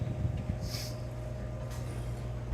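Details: Condensing unit after replacing a melted start relay with a 3-in-1 hard-start kit: low, steady motor hum with a faint constant tone and no clicking or chattering, now running normally.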